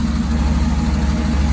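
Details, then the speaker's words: V8 truck with Holley Sniper EFI at idle, IAC holding revs: deep idle with a quick steady clacking, normal firing of large 100 lb injectors, not a fallen rocker or exhaust leak. "that noise you hear that clacking is actually the large hundred pound injectors firing at first i thought we had a rocker that fell off where we had another exhaust leak but it was just the injectors fire and they hit hard"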